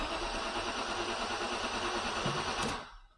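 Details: 1999 Maserati 3200 GT, replacement starter fitted with the inlet manifold still off: strong, even starter churn over an alarm tone (fobs don't work), then it cuts off; the engine cranks properly.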